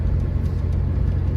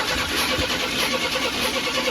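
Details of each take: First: 1991 Chevrolet S10 Blazer 4.3 V6, about 322,000 miles, long abandoned and possibly flooded earlier: a steady, even rumble while driving with no misses, knocks or ticks. Timing is fine and it is running normally. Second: Abandoned 1991 Chevrolet S10 Blazer, said to need only a fuel pump: an uneven, labouring crank with a ragged beat about three per second and popping, backfiring through the throttle body, never catching. Sounds like low compression; skipped timing suspected.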